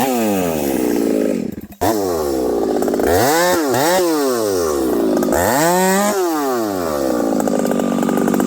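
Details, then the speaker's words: Husqvarna 371xp/372 chainsaw with pop-up piston, very dirty carb cleaned: revs swoop up and down, hunting instead of returning to idle; owner suspects dirt still lodged in carburetor. "maybe there's still some dirt lodged in there somewhere anyhow take a listen to this saw runs great and then it doesn't oh"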